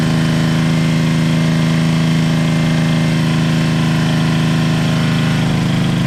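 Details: Toro 58-inch professional 3-gang reel riding mower after repair, fluid levels checked, first test drive; smooth even low drone with steady beat, no misses or hesitation: normal running.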